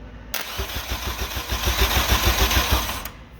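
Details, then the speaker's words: Built K24 turbo-swapped Honda Civic EM2, starter fed 12 volts with nothing else hooked up, open wastegate hole; engine cranks in an even, quick chug of about three beats a second, no grinding or clunks, a healthy crank. "just going to supply 12 volts to the starter just to hear the engine crank over uh obviously we don't have anything else hooked up we just want to hear a crank"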